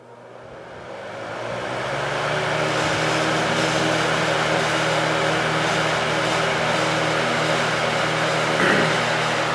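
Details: 1970s Lakewood HV-18 fan started on high, motor pulling heavy current; hum and blade whoosh rise smoothly over about three seconds, then settle to a steady even run: normal startup.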